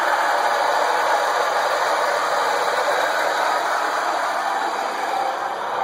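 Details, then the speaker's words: 1999 Ford Crown Victoria P71: loud, steady high-pitched squeal right after starting, began while driving yesterday, fades after running a while, loud again on restart; almost disappears with AC on. "okay see if anybody knows what the problem is here it's a 99 ford crown victoria the p71 and yesterday i started making this funny noise while i was driving and then it goes away after a while after i cut it off but when i cut it back on it's really loud here we go"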